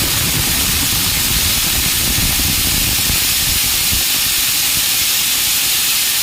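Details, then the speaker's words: Air compressor tank pressure released through a fully open valve until the gauge drops to zero, before testing the pressure switch cut-out; loud, steady, high-pitched rushing hiss; air release. "ये अभी pressure हमारा release कर चुके हैं, पूरा valve खुला हुआ है।"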